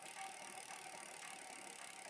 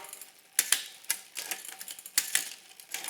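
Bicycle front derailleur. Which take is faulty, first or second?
first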